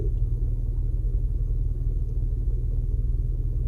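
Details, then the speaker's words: Toyota RAV4 idling parked with AC off and windows closed: low dull drumming about three pulses a second resonates through the cabin, engine vibration differs from normal; cause unknown, persists after restart. "这有个东西在咚咚咚咚咚咚咚咚咚咚咚咚咚咚咚咚咚咚那种感觉在响，好奇怪啊！"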